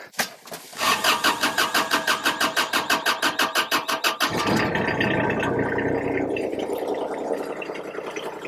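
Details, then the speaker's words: Kubota RTV1140 side-by-side, cold hard start: a long crank of about three strokes a second for nearly four seconds before it catches and runs. A test light on the glow plug bus bar shows no power at the key's glow position, so the glow plugs aren't firing. "Okay, so the glow plugs definitely aren't firing, whether this thing starts right now or not. The glow plug is definitely not coming on."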